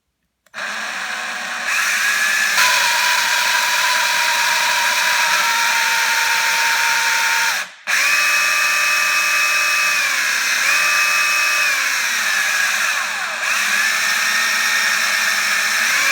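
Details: Four-month-old Parkside PABH 20-Li B2 cordless hammer drill running: high-pitched whir with extra tones shifting and sliding downward, a strange noise of unknown cause.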